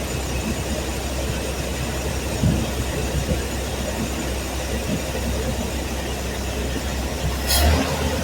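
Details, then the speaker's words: Truck engine after spark plug wires and initial timing set, previously running rough: even, steady low idle with no stumble or tapping, just a smooth hum; "runs smooth." Normal idle. "God, it runs smooth."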